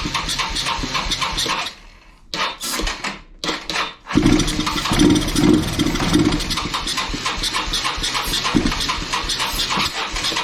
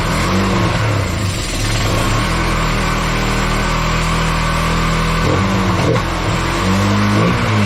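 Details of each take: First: Kawasaki Bayou 220 ATV, sat eight years, seventh attempt on starting fluid with no fuel tank fitted: cranking, catches, a few seconds of ragged single-cylinder running that fades. Fuel starvation; carburetor cleaning suspected needed. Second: Kawasaki Bayou 220 ATV, sat eight years, after carburetor cleaning: idles then revs up and drops back cleanly, no misses or stumbles; smoky but clearing itself, starts right up, air filter off. Normal running and revving.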